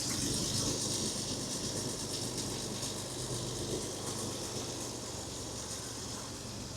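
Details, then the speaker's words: 1970 Jaguar XJ6 six-cylinder with SU carburettors just redone after MOT failure, idling about 900 rpm, breather off, emissions reading still above target; quiet even idle with soft regular exhaust beat, no misses; normal idle. "You can see it's idling sort of 900 RPM. The choke was a bit tight on it. I'm hoping it's not the needles. You can hear it's running really nice now."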